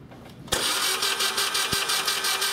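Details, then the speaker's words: Engine cranked with plugs removed, coil disabled and serpentine belt off after seized alternator was found: even, free-spinning starter cranking about six beats a second, no drag or binding; now turns over normally. "all right that sounds a lot better"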